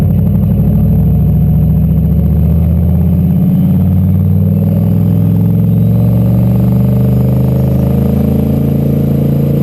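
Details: LQ4 V8 turbo-swapped Ford Ranger after no-start fix (a disabled DTC code): deep drone rising and falling smoothly with throttle, no stumble or misfire; running cleanly.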